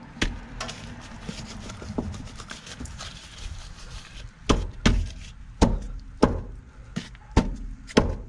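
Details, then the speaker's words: 2001 Honda Accord, wheel off on jack stands: dull uneven metal-on-metal clunks as the upper control arm is worked, popping on every throttle and brake application; worn upper control arm bushing. "that right there is metal on metal that's what it sounds like so every time you give it gas it would pop every time you would break it would pop"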